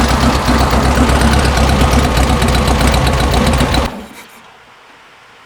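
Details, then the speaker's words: 1974 VW Beetle Love Bug with dual 34 carbs during an engine tune: with the idle mixture adjuster screw turned in half a turn, it runs loud with a stumbling beat, then cuts out from a lean mixture; the screw gets backed out half a turn. "that was the adjuster screw I just turned in in a half it didn't like that so I'll back this one out of half"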